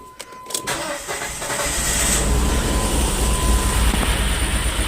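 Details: 2.0 SOHC interference engine after a broken timing belt, running with two fuel injectors unplugged so only two cylinders fire; lumpy, uneven low beat after a short crank, no knocking, a bent valve probably suspected, not confirmed.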